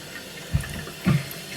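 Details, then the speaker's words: Toilet cistern inlet float valve after replacing the worn diaphragm washer (Siamp 34951309): water runs in with soft gurgling surges, no earlier high-pitched whistle or squeal; refilling normally. "So now the water is, as you can hear, it's not as loud as earlier. Earlier it was like a high-pitched one. So the water's filling up as normal."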